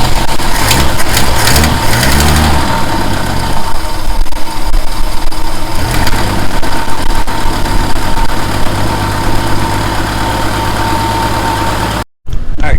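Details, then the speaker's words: 1963 Ford Falcon Futura with a GM one-wire alternator, after shaving the bracket and fitting a new belt, battery at 12.77 V: cranks, catches quickly, and settles into a loud steady idle with even pulses, no knock or squeal. "got a new belt on here so let's uh let's give a shot we're at 12.77 volts right now we should be able to fire right up"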